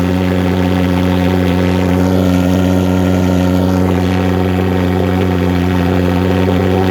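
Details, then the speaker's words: Vectorfog H100SF gasoline pulse jet thermal fogger on VP Racing canned fuel, started by holding the start button 8–10 seconds, solution tank shut: loud, steady buzzing drone at one fixed deep pitch, no stumbles or pops; normal running. "you'll hear it fire off it might pop and snap a couple times once it's running you'll know it"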